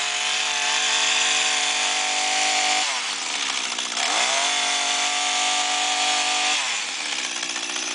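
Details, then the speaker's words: Echo S22 two-stroke trimmer that would start but not rev, after cleaning the exhaust/muffler: a steady high buzz dips briefly, then picks straight back up and revs cleanly, now running well. "и всё наша коса работает в отличном режиме"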